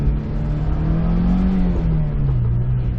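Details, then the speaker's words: 2003 Honda S2000 AP1 after new injectors, OEM catalytic converter and JDM subframe fixed misfires, road test: engine note rises smoothly and evenly under acceleration with no stumble or popping. "windows back up everything sounds okay smooth acceleration"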